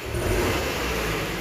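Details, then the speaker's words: Futura 1.5 (1500) van, complaint of stumbling on sudden throttle: snap throttle makes revs swell unevenly and stumble before pulling, with very dry exhaust. Mechanic suspects no spark or fuel in one cylinder; coil, plug or injector suspected. "knalpot kering banget biasanya tanda-tanda pembakaran tidak sempurna atau yang ada yang tidak terbakar mungkin tidak ada pengapian atau tidak ada bahan bakar yang masuk di salah satu silindernya"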